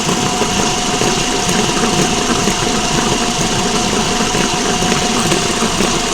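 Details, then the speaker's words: Front axle raised with the lifted front wheel spinning under power, checking a roaring noise heard only while driving: a steady roar with a faint constant hum from the CV axle wheel bearing, which is worn. "this is the cv axle wheel bearing is there listen to this one now there's a bearing right"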